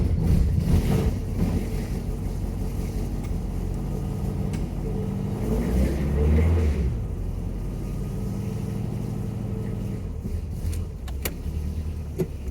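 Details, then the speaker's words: 1967 VW Beetle, cold start after fuel leak repairs that restored fuel to all four cylinders: it settles into a steady, even, low chuffing idle with no misfire or stumble. Normal idle. "so put about 70 miles on this car yesterday Street and freeway driving and it's running perfect"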